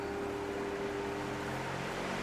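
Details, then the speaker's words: Induction fan on a cheap triac speed controller set to full: soft, even motor hum with steady tone and no buzzing, since the triac is out of circuit at full speed; fan runs cleanly. "you can hear the buzzing which is the triac basically sending out square waves into the power supply and it makes that noise up until the time when it's on full and the triac is basically out of circuit"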